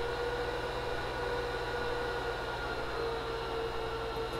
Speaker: notably quieter but let's wait for it because these servers will those fans are gonna calm down in a moment they blow out the dust and everything before as they're just first booting up